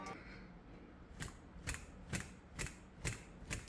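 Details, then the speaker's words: PCV valve from 2023 Nissan Versa SV 1.6L HR16DE shaken by hand after being cleaned twice with degreaser: six crisp, sharp clicks about every half second, clearly different from before cleaning; valve moves freely, normal click. "think you will agree that there is a distinct difference between the click when we first took it off the vehicle and what it sounds like now after we cleaned it 2 times with degreaser."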